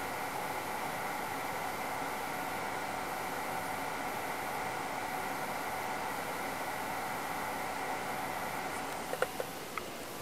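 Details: InFocus ScreenPlay SP7205 DLP projector after realigning the three misaligned lamp-fan contact tabs that had caused a flashing fan-failure light: steady, even whoosh with faint hum, no rattle or stalling, a few light ticks near the end; projector fan running normally.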